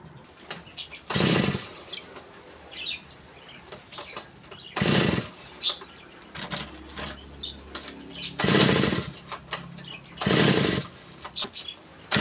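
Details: TD40 two-stroke grass cutter, over 10 years old, after new crankshaft bearings, oil seal and clutch drum (it was noisy with crank play): blipped to high revs in short bursts and dropping back cleanly, no rattle or bearing rumble. Runs normally.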